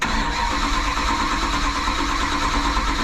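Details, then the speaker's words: Classic Mopar after new switch, fusible link and connectors following a near fire: starter grinds several seconds without catching; owner suspects dry carb needing fuel and a very low battery. "gonna take a minute to build that carb up that sounded like something yeah you got to get gas to your car just probably dry dude this battery is so so low"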